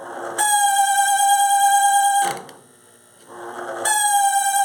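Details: Nearly 20-year-old AMW G 925 CSG 220V grill microwave running 30 seconds with water inside: loud horn-like honk cutting in and out over fan hum from a dry plastic fan bushing.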